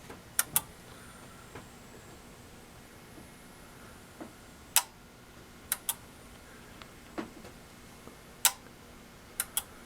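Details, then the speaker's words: Samsung 42-inch plasma TV HP T4264, back cover off: sharp dry clicks every few seconds, power cycling and never turning on after two loud pops; capacitors look fine, cause unknown. "it suddenly when turned on had two very loud pops and then started clicking and cycling it was ongoing and it just never comes on anymore"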